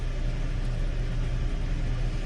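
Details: 2018 Hyundai Elantra at idle after first startup, oil pressure about 84 psi near 1300–1500 rpm; smooth, even low rumble with no rattle or stumble, engine runs healthy. It had come back for stalling and a top-end rattle when the oil pressure dropped on downhills.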